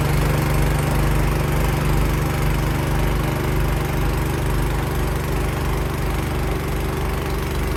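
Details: Cub Cadet 524 snowblower after repair for rough running, started on choke with primer in freezing weather. The single-cylinder engine holds a steady low beat and even speed while throwing snow, with no misses or surging, running healthy.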